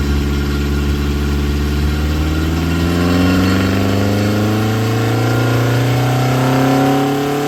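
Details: Ford Crossflow engine with twin 40 DCOE carbs, Kent 224 cam, Vulcan head, first dyno power run at conservative 26° ignition advance while bedding in; strong clean pull, pitch rising steadily under full load, even firing, no knock or misfire; healthy, 115 hp, 118 lb-ft.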